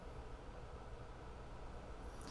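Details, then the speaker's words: DIY battery-powered Bluetooth audio player after adding an isolated DC-DC converter and USB capacitor for ground-loop isolation: only a faint, steady low rumble and hiss, with no ground-loop buzz or hum. "okay so you can hear now that there is no more buzzing um this took care of the ground Loop"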